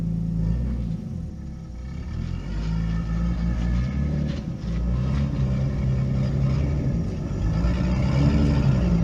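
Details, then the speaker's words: Nissan 240SX S13 with RB20DET inline six, low lumpy uneven rumble under light load up the driveway; running on five cylinders, misfire not felt at idle; ignition coil suspected, to be checked with coil-on-plug probe. "I did notice the misfire coming in. You may have heard it in the footage. It seems to be definitely running on 5 cylinders as I kind of loaded it up coming up the driveway a little bit."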